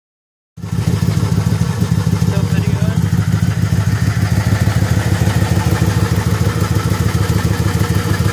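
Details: 2001 Ford Crown Victoria running with quick uneven ticking puff in the exhaust and stumbling beat: exhaust leak plus misfire.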